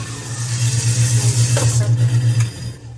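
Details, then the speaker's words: Newly installed American Standard 1/2 HP garbage disposal, replaced after the old one failed: steady low hum with even pulse about four per second, grinding smoothly then winding down; working normally. "Here's the garbage disposal. You can hear it grinding away. Everything seems to be working."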